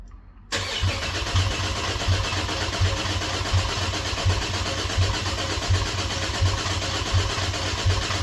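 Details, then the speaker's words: Cadillac ATS-V engine swapped into a 2013 ATS 2.0T, first crank after the swap, throttle body initialized: starter spins evenly with regular pulses for several seconds, never fires. Crank no start with no fuel pressure; fuel pump later primed. "no fuel pressure pressure for some reason got to figure out what's going on there it doesn't sound like I got any fuel going into this thing but it's cranking"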